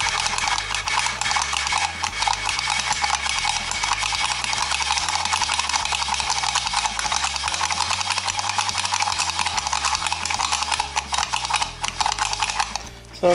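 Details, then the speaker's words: 1965 Mustang 200ci straight six, hand lapping valves with grinding compound and suction-cup tool; scratchy rubbing starts rough and noisy, then quietens and evens out as valve face and seat smooth into a good seal. "you'll hear it be noisy and it'll get quiet when it gets nice and smooth here's how rough it is keep going until the till it sounds nice and smooth"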